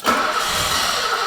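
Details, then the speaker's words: BMW E23 728i 7 Series, unstarted for 25 years, stale fuel and likely seized fuel pump, brake cleaner sprayed in intake while cranking: engine catches and fires briefly in a ragged burst then dies; runs only on starting spray. "if we can get a bit of brake cleaner up its nose and turn the key it might fire for a brief moment for us to be able to hear it"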